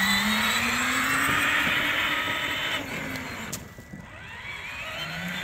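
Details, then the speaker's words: Power Wheels ride-on on 20 V DeWalt lithium packs replacing 24 V battery, carrying two kids about 110 lb at full speed: steady, even motor whine with tyre and surface noise; drive runs normally under load. "so this right here I was holding two kids about 110 lb and it was driving it full"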